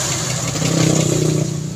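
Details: Suzuki Scrum F6A 12V that was hard starting, after the ignition switch was replaced: the engine catches at once on a short crank and runs up smoothly with a steady, even note. Normal start.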